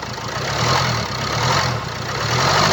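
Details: 2017 Land Rover Discovery V TD4, 2.0 diesel (R4/2.0TD4, 132 kW), 109,695 km: idle with a light, rattly chatter over the clatter at the front of the engine, from a stretched timing chain.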